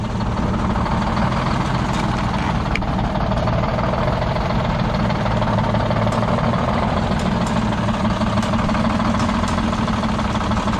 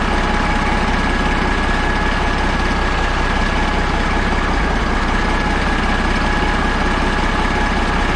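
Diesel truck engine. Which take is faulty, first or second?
first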